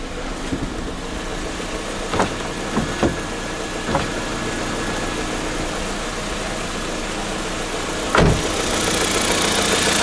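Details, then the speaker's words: Kia Picanto after dealer repair of engine rattle, idling following cold start: steady, quiet idle with no chain rattle, a few handling clicks and one thump in background; engine healthy, rattle gone. "so 100 tell you it's so nice to have it all quiet again you know i have it quite peaceful none of that all the time"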